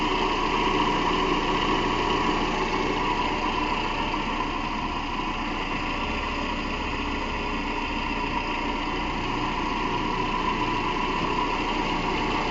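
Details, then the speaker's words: 2010 Toyota Camry 2.5 (2AR-FE) after replacing the idler pulley, tensioner pulley and belt: steady, even idle with no squeal, chirp or rumble. The earlier pulley noise, which resembled a timing chain, is gone. "Done, no more noise."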